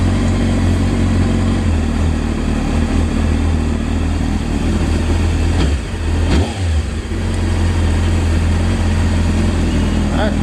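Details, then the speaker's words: 1998 Honda CBR600 F3 after a no-start (died after riding around the block), running again once carburetor bowls refilled: low, even idle with one quick blip, settling back smooth and steady; normal idle. "so you know customer is happy so far sounds real good"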